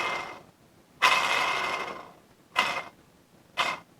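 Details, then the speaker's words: 1985 WSK 125 engine disassembly: worn output shaft bearing spun by hand in the crankcase, short bursts of rough gritty rumbling fading as it slows. "tutaj nawet dźwięku nie wszędzie podkręcać bo wspaniale słychać jak Huczy"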